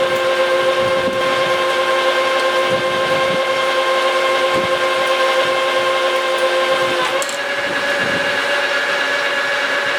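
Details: Lathe roughing a new rotor shaft for a Vermeer 1800-A chipper whose shaft broke, taking it from 4 in to 3 in at 300, 50 per side, coarse feed stated "around 25,000 per revolution." Steady high scratchy tone over lathe hum, pitch shifting slightly. Normal roughing cut.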